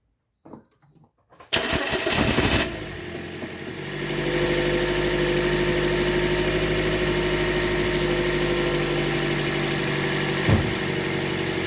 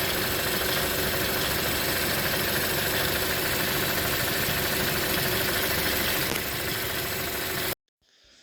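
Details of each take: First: 2010 Toyota Corolla 1.8 L with drive belt removed so only the engine runs, aftermarket lightweight crank pulley: cranks, catches and settles into a smooth idle with no clatter; the clattering noise was traced to the AC compressor. Normal idle. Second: 2010 Toyota Corolla 1.8 idling: busy, irregular intermittent clatter, worse in cold weather and after driving a while, then engine shuts off; mostly from the A/C compressor, perhaps slightly the water pump.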